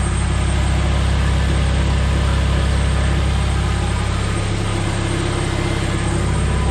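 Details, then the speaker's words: Honda JDM K24A engine swapped into a Porsche 996 911, first fire: deep, even, smooth idle with a steady low rumble, 60–63 psi oil pressure, no ticks or knocks; normal idle after a brief puff of smoke and one stall. "60 pounds sounds fantastic no no no ticks or knocks or anything crazy it sounds smooth as can be"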